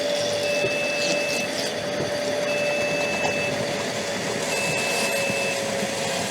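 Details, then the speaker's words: Metabo AS 36-18 cordless wet/dry vacuum on turbo: steady roar with a high beep about every two seconds, a filter-control warning of a possible blockage in the hose or filter. "now that beeping sound is a filter control so it tells you that you might have a blockage in the pipe or the filter and that you should check it"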